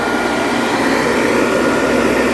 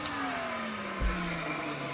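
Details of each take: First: Vintage Hoover vacuum, brush roll shown running: steady whirring motor hum with a faint even high whistle and no slapping or squeal; brush roll spinning smoothly on a good belt. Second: Vintage Hoover Junior 119 upright vacuum, first switch-on, no belt fitted: smooth motor whine, then rough dry tone as it winds down after switch-off; dry motor bearings suspected, not confirmed.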